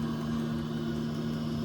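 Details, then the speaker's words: Camper van parking heater's circulation pump motor circulating antifreeze, heater just started and not yet warm: smooth steady low hum, even tone, no knocks or rattles; normal operation. "모터도 돌죠. 모터가 지금 부동액을 순환시키고 있습니다."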